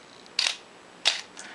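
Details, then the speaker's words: Minolta X-700 35mm SLR with a 50mm f/1.7 lens, shutter set manually to 1/2 s: two crisp clicks about half a second apart as it opens and closes cleanly. Shutter timing is correct and operation is normal. "we can set the shutter speed manually here to one one thousandth oh and shut off the timer 500 250th 125th one-sixtieth one-thirtieth one-fifteenth one-eighth one-fourth one half"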